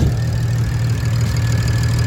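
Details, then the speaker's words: BMW 335i bought as a non-runner, first run after cranking attempts: steady low idle rumble with an even beat and no clear knock or miss; owner calls it not the best but idling fine, judges engine good. Normal idle. "i mean this is a good engine to me right idling fine so good news we got a car that runs"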